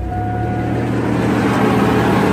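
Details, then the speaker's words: 1990 Chevy Blazer/GMC Jimmy 4.3 after valve job and head gasket, restarted after stalling from an unplugged PCV valve: steady, even idle with a smooth low rumble, no knocks or misses; oil pressure 40–45 psi; normal stable idle. "It's looking good, looking stable."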